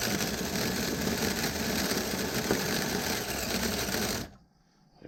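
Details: Vintage nitro RC engine: loud raspy high-revving buzz for about four seconds, then abrupt near silence; fires but won't stay running, despite good compression pinch.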